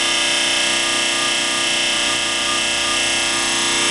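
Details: PowerSpec desktop PC with new Corsair CX750M PSU at cold start: harsh, loud, mostly high-pitched rasping grind with fast ragged flutter until Windows screen loads; previous PSUs did the same; cause unknown.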